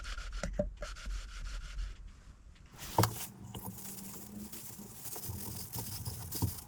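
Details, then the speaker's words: Hand-lapping the second valve with coarse paste, no engine running. Quiet, uneven gritty rubbing and scraping strokes while the contact patch is still developing and the seat is not yet mated. "Okay, and you can see that contact patch is developing nicely with the coarse."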